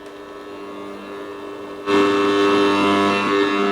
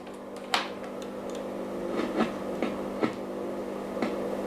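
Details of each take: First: 1937 Telefunken Torn.E.b. WW2 receiver after repairing a missing ground connection: hiss jumps up abruptly then holds steady with faint tones, no more tapping or shorting crackle; receiving normally. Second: 1937 WW2 Telefunken Torn.E.b. radio during repair: sharp irregular crackles about once a second over a steady hum while tuning, like the tuning capacitor shorting or arcing; cause is the ungrounded tuning capacitor axle, a missing ground connection.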